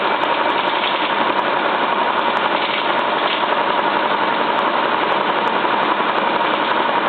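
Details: Cylinda 12002 washing machine on its last spin: rapid uneven knocking, about one and a half a second, over the spin whoosh, as if something is caught in the drum; inspection pocket empty, cause unclear.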